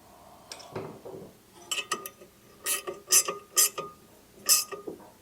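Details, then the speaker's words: Predator engine being swapped into a trash-found Lesko walk-behind leaf blower, turned slowly by hand: sharp scraping tick about once a turn as the flywheel rubs a housing rivet; pulling the flywheel out slightly stops the noise. "Yeah, if I pull out ever so slightly on the flywheel, I can get it not to make the noise."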